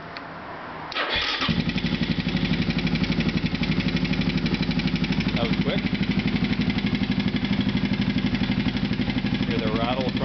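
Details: Supermono single-cylinder project bike, restarted after half an hour off, possibly without choke: fires up and settles into even thumping idle, about four beats a second, with a light rattle from the flat-slide carburetor.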